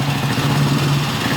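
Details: 1960s BSA 250 single-cylinder motorcycle, restored in the late nineties in an apartment, first startup in a parking garage; steady, even thump at a settled idle with no knocks or misses; normal idle.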